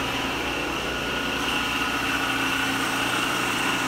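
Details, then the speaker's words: Schaublin 53 milling machine on a DIY 3-phase rotary converter, after engaging the larger capacitor that smoothed the rough idler motor: steady even motor hum with a clean high whine, no knocks or surging; running normally. "now now it works and I can flip the table we have power on the table"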